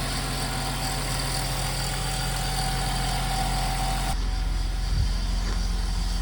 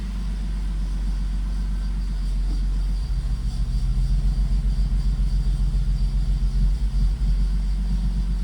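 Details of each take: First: BMW convertible idling after its home-serviced injectors were refitted: a steady idle with a light metallic rattle because the alternator cooling fins are hitting the alternator shell. Alternator rattle at idle. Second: BMW convertible after homemade injector service, injectors and rail reinstalled; the pump primes, then it cranks, catches and settles into a low, slightly uneven idle with some initial hesitation. Engine starts and runs.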